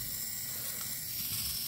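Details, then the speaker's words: RC car steering servo, old unit that stopped turning the car left or right: faint fast high-pitched ratcheting buzz as the motor spins but the plastic output part doesn't move; stripped servo gear, fixed by swapping in a servo from another car. "so you can hear that it's spinning but this plastic part is not moving at all"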